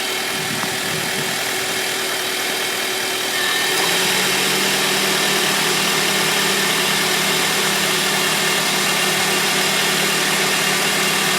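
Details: 2001 Honda Civic (7th gen) after full timing belt service including new belts, water pump, tensioner and crank seal: smooth even idle, low steady hum as A/C compressor kicks in at full blast, no squeal or tick; belts look and sound fine.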